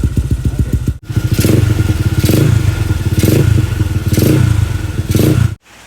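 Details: Single-cylinder motorcycle first start after full-spec engine build with clutch conversion: thumps quickly and evenly, takes four short throttle blips cleanly and settles back; engine running healthy, though the clutch later fails to engage.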